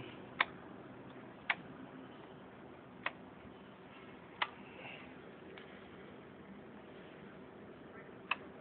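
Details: Triumph Daytona 650 that won't start though battery voltage is good: single sharp clicks at uneven gaps, roughly one a second, with no cranking or engine noise; clicking, no crank, owner suspects battery.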